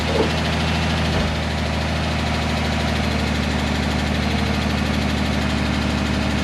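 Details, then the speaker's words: 2010 Dodge Charger 3.5L V6, cold first start after timing belt, water pump and thermostat replacement: steady idle with a light, quick lifter tick about three times a second. This is described as usual on cold starts until oil pressure builds. "You could hear some lifter noise when I first started the engine up. Not uncommon. This thing cold starts, that lifters, they tick away like tickety tack tack, clickety clack clack. They just keep going."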